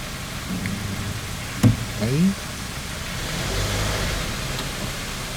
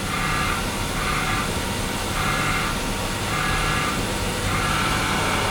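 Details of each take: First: After clutch kit replacement (disc, pressure plate, release bearing), engine cold: the engine idles then revs smoothly and falls back, with no grinding, chirp or rattle from the clutch with the pedal pressed; the repair is good. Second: Running car at idle with clutch pedal just touched: faint whirring tone over steady idle appears as pedal is pressed; clutch release bearing noise, fix is replacing full clutch kit (disc, pressure plate, bearing).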